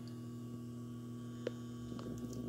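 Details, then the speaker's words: 1980s Sanyo boombox with added Bluetooth module, power switched on: steady low hum with a faint beep coming from the Bluetooth board; power supply noise from the Bluetooth module. "that power is on hear that hum power on that's coming from the Bluetooth and that beeping so you start to hear all the noise from the Bluetooth radio"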